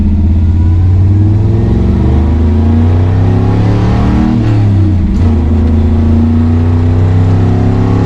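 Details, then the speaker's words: 1963 Chevrolet Bel Air, 283 V8 with four-speed, warmed up, test drive after new flywheel, clutch, correct clutch fork and rod to cure chatter; note dips briefly under load then pulls evenly, no shudder; clutch engages smoothly. "runs pretty good runs pretty good man that clutch is so much softer than it ever has been i really think that geometry is just completely fixed"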